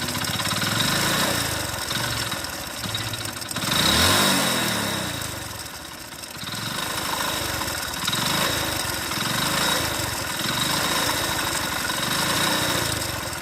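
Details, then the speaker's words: Worn-out motorcycle engine blipped, with a rough, clattering rattle that swells with each throttle blip; the mechanic says it needs a full engine job, the noise being mixed connecting-rod and bearing sounds. "Engine పోతే total బండి engine పోయింది, total engine చేసుకోవాలి అని అంటే sound అనేది engine పోయే ముందర ఎట్లా వస్తుంది అని అంటే ఈ విధంగా అయితే వస్తుంది."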